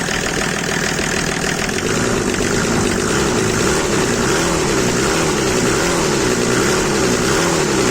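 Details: Mercedes W124 with OM606 diesel swap: engine holds a steady, fast, even roar without settling back to idle; revs hanging high or possibly running away, cause unknown.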